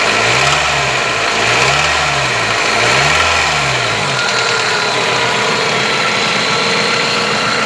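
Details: Toyota 4S-FE engine revved up and down repeatedly; a light tapping knock rides on the revs and appears above about 1500 rpm.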